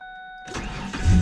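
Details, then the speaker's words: Ford Ranger after its no-start fault was tracked down and fixed: a couple of chime tones, then the starter catches and the engine fires cleanly into a firm, even idle. Normal engine start. "I'm gonna give the truck a start right now so you can see that the truck actually does run"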